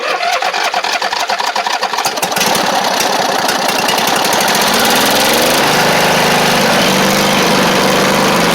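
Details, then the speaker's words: Poulan Pro (Craftsman) rider, Briggs V-twin that ran well then choked out: about two seconds of choppy cranking before it catches roughly; carb flooding heavily, fuel pouring in, needle and seat failed. "Oh yeah, it is. It's flooding immensely now."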